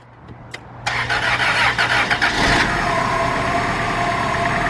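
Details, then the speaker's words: 2002 Dodge Stratus 2.4 DOHC after replacing dangling timing belt, which had caused no-compression cranking; brief misfire first run, then catches quickly into smooth even idle, no knocking or slapping; sounds healthy. "Oh, that sounds good. We're in. We're in."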